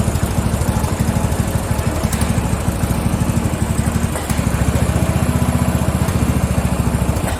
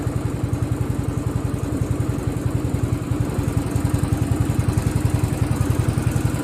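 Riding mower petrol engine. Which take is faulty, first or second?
first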